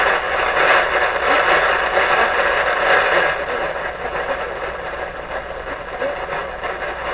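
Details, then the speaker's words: Westinghouse 981X shortwave receiver after output transformer replacement, on an upper band: loud steady rushing hiss with fluttering crackle at barely any volume; excessive noise and gain, cause not yet found. "pretty crazy sounding let's see how crazy it is up here now if i hardly turn the volume up and it's all there"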